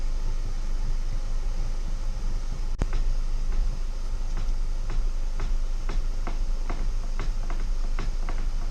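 Over a low road rumble come sharp, uneven knocks roughly twice a second; a loose knock up front, possibly the steering rack.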